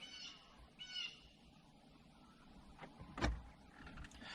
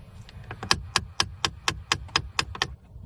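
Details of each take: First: 2013 Jeep Patriot after blend door actuator replacement for clicking: scan-tool actuator calibration sweeps all three HVAC doors to their full extremes. Short, faint electric whirs come from behind the dash, which is normal actuator travel. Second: 2013 Jeep Patriot, under the dash, temperature knob at full cold: sharp plastic clicks about four a second as the blend door actuator drives the door to its extreme, stopping just off cold; blend door actuator clicking.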